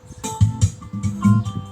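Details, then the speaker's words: SKG AV8113 powered speaker after repair for cutting out at high volume: music plays loud and bass-heavy with no dropouts after replacing faulty capacitors in the speaker-protection section. "ไหมเปิดเปิดเบาได้เปิดเบาได้เปิดเร่งก็ไม่ตัดเห็นไหม"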